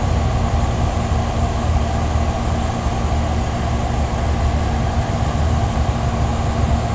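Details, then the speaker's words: 1983 General Electric Executive Weathertron heat pump, nearly 28 years old, running in cool mode: constant rough whooshing drone with low steady hum, mostly from the condenser fan motor rather than the compressor. "a little bit noisy but considering it is 28 years old almost 28 years old now it's actually pretty quiet most of that noise seems to be coming from the fan motor and not the compressive"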